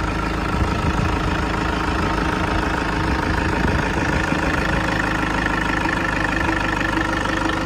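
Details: 2012 Toyota Kijang Innova G diesel, manual, first owner, engine bay open, idling with AC on: smooth even diesel clatter at steady idle, no misses, knocks or wavering; valves and combustion judged normal.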